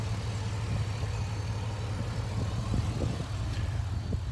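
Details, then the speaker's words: Chevy K1500 truck that sat for years, running after fuel system work with the fuel tank propped on pallets: low, steady rumble with even firing and no misses or knocks; engine idling normally. "we're going to give her a shot to start it. It runs. Give it a little bit. All right, that's good."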